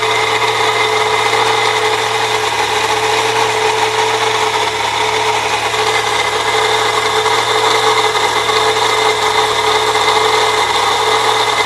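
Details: 1998 Saturn SL2 DOHC idling with steady coarse grinding and whirring from the belt drive; idler and tensioner pulleys replaced without change, noise goes away with belt removed, not worse with A/C on.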